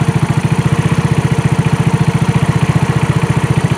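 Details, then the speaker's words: 2018 Trailmaster 150 XRX dune buggy, previously non-running, idling right after a new replacement carburetor was fitted; steady even single-cylinder thump with no misses, a healthy idle. "It wants to run. Idle before, now it's idling. That's a big plus."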